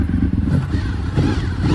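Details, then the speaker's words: 2003 Honda VFR800 (5th gen) V4 idling after restart from 8 years of storage: lumpy, steady low beat with a faint whirr from the gear-driven cams on top; healthy and even, water still in the cooling system. "running listen to those gear driven camps guys listen to it"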